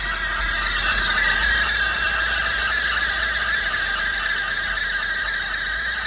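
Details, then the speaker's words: Isuzu KB300 diesel idling while the aircon gas is refilled: a steady, thin high squeal near two kilohertz. The owner suspects a bad AC belt or pulley. "Just found out now that I think my belt or my pulley on the AC, it's bad. It's bad, so it's making this noise."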